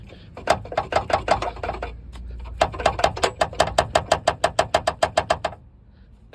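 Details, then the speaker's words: Dacia Duster 1.6 petrol: sharp hollow knocks in bursts of four or five a second under the hood on the left; broken mounting bracket of the electric power steering pump/reservoir rattling. "Ну, у кого стук, то знайте. Возможно, это отломался насос гидроусилителя."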